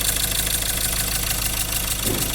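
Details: Diesel engine idling with a hard, rapid knocking clatter and an uneven misfire beat; cause found to be a damaged No. 3 cylinder glow plug that fell into the cylinder, damaging the cylinder wall and internal parts.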